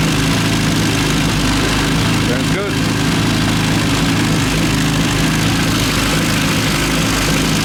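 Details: Classic Mini 1.3 track car after fitting used roller rockers and correcting plug lead firing order (had backfired): steady even idle, smooth low hum, no top-end tapping; sounds good, adjusters to be rechecked.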